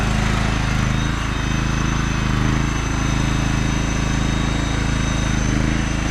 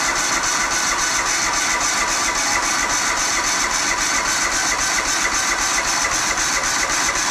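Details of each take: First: John Deere LX186 riding mower, 17 hp Kawasaki engine with hydrostatic drive, test drive: steady, even engine drone and low hum, no knocks or whine driving and reversing; hydrostatic seems good, mower runs and drives well. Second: Auction John Deere LX186 riding mower, 17 hp Kawasaki engine, first start on jumper pack: steady, fairly even idle with loud hiss and slightly uneven beat, smoked a little; owner suspects overfilling from repeated choking, float bowl to be checked.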